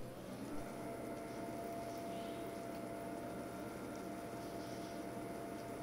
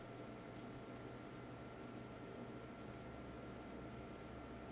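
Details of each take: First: Watercooling pump running at full speed, placed directly on a bare table before mounting on a foam Shoggy Sandwich: steady low hum with mains-like tone and faint rattly overtones as vibration resonates through the tabletop. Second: Watercooling pump running at full speed, mounted on a Shoggy Sandwich foam and rubber decoupling mount, microphone at the same distance as the table test: faint, steady low hum with a thin even whine, no rattle; vibration noise well suppressed.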